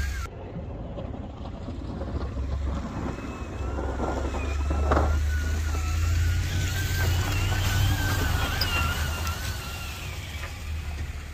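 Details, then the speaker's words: Truck driving: a thin high squeal rising and falling with wheel speed over road rumble, louder over the night, heard from the passenger-side wheel hub area; not the brake pad wear squealer, cause unknown. "so that squealing got louder and louder throughout the night so I had TQ drive the truck around a little bit in front of me got real close to the truck and to me it's coming from the passenger side wheel hub area"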